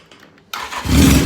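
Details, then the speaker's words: 1981 Yamaha XJ650 bobber, still a little cold, unused for a week, started without choke: brief crank then catches at once and settles into a steady, even run; normal cold start. "It would start every time. See? It's that easy. She's still a little cold, but I didn't choke it at all. I didn't do nothing with it."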